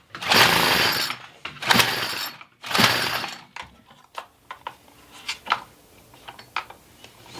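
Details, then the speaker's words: Troy-Bilt 4-cycle tiller, found with water in fuel and no compression, full choke, primer bulb fuelled: three short rough firing bursts about a second each, dying out, then only clicks; fires briefly but won't keep running. "wants to run with the throttle open"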